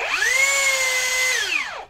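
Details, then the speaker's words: Cheap rebranded brushless drill after re-shimming the stator upward during repair: motor spins up to a steady whine with a rough scraping hiss, even louder, like before disassembly, then winds down; rotor still rubbing the stator, needs disassembly again. "ini masih seperti ini tapi lebih keras lagi malah bunyinya"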